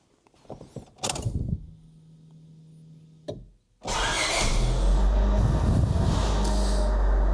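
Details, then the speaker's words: 1996–2000 Honda Civic LX/DX, D16Y7 engine, after MAP sensor and corroded harness connector replacement: short crank catches straight away, smooth even idle, no misfire; normal start and idle. "Starts right up. seems happy. No misfire."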